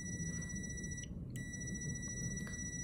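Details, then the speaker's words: Five-pin relay tested off the car with a meter: a steady continuity beep, pause, then a solid beep. Terminal 30 switches between 87 and 87a as the coil on 85/86 is energised and released. Normal relay contact continuity. "but if I turn the relay off I don't have continuity between 30 and 87 anymore but I do have with 87a"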